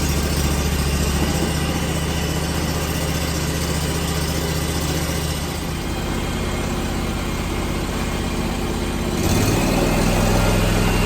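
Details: 27 hp Kawasaki zero-turn mower idling cold after its first start of the day: steady low drone at an even idle, pitch lifting slightly near the end. Normal cold idle.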